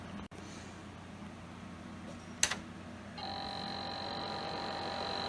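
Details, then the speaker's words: Click then thin high whine over low hum as the original IDE hard drive of a 1987 Compaq Deskpro 286 spins up after seeming to spin down briefly; hard drive spin-up noise. "it sound like it's down for a second they're like it just spun up"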